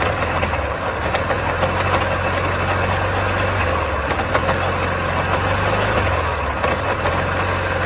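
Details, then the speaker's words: Yamaha Grand Filano scooter that jerks when pulling away, with loud noise at the belt cover: engine running steadily with a faint irregular knock from the belt-cover side; clutch assembly bearing suspected, not confirmed. "รถคันนี้มีอาการประมาณว่าเวลาเราสตาร์ทเครื่องยนต์เนี่ยเวลาเราจะขับออกตัวเนี่ยมันจะกระตุกๆๆมันจะมีเสียงดังบริเวณฝาครอบสายพานนะเวลาเราลดแล้วเวลารถที่รถเคลื่อนที่มันจะกระตุกดังเสียงดังมากเลยนะ"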